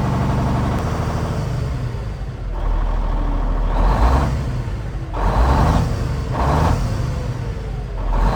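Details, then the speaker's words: Cummins N14 diesel just restarted after replacing the cam follower housing shim/gasket: deep rumble through several clean throttle pulls, revs rising and falling smoothly, no knock or miss; nice smooth acceleration. "That's a nice smooth acceleration now."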